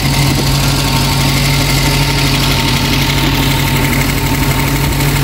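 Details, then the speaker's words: Reliant Supervan idling after carburettor cleaning. A steady, fairly smooth idle with a faint light tick over it; the owner thinks the valve clearances may need doing, nothing major. Oil on the block is burning off the exhaust manifold. "Seems to be running fairly smoothly, dare I say it. Not too bad, it's got a little bit of a tick to it. Might have to do the valve clearances on it, that's nothing major."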